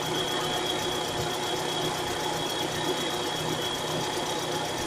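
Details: 1998 Mitsubishi Carisma GDI, after timing belt and A/C belt replacement: fast, light ticking with thin high whistle over even idle, present whenever started; owner calls it knocking, cause undetermined.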